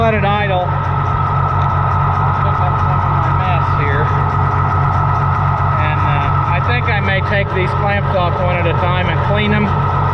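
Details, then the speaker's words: Oliver 1650 tractor that would not stay running, after ignition timing adjustment: steady even low-pitched idle, regular firing, no misses or surging; runs smooth and settled. "i think it'll be for the better let's start it up again and see how it starts now that's pretty good"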